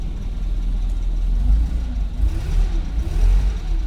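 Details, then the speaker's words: 1959 Hillman Husky sedan delivery, cold start indoors without choke: catches quickly, then a deep, even exhaust note climbs and falls smoothly with each blip, oil pressure coming up; a healthy, clean-running engine. "I love the sound of this. All right, what do we have? Oil pressure came up here. That was a cold start, so I would expect water temp to be up."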